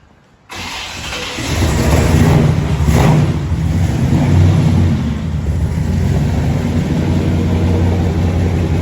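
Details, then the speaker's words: Normal start and idle of a big-block V8 in a squarebody truck ("Brown Bear"), started despite a possible dead battery. A quick crank, then it catches and settles into a deep, even rumble with no ticking or knocking; a healthy idle. "Got the big block running. Thing sounds awful good."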